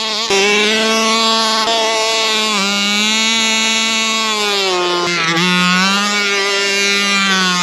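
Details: Rovan Baja 5B RC two-stroke, after earlier no-start and carb needles reset to factory (1 1/4, 1 1/2 high speed) with fresh fuel, buzzes high and clean at steady pitch with slight dips, no bogging or misfire; runs healthy.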